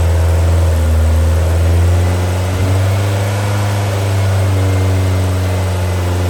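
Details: New Powerhaus 2110cc air-cooled VW flat-four, upgraded heads, dual 44 carburetors, on dyno after valve adjustment, warmed up: deep steady exhaust beat with even rhythm, no ticking or knocking; normal running.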